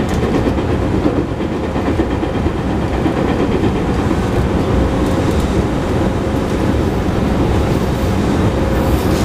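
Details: JR 221 series Yamatoji Rapid (field-added excitation control, max 120 km/h) running between Oji and Kyuhoji: steady rail roar at speed with a repeating dull thud each wheel turn from a wheel flat on the recorded car.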